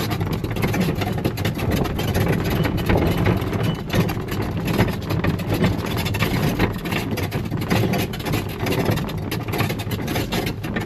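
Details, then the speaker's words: Coleman golf cart driving: steady engine drone with constant fast clattering as the plastic roof bounces against its metal frame on metal washers and nuts. "Chances are you hear a lot of rattling. And in this video, I'm going to show you what to do to fix it. Now all that rattling happens because this roof is mounted to this frame with a bunch of metal washers, metal nuts, and when the roof kind of bounces against the metal frame, that's what makes most of the racket."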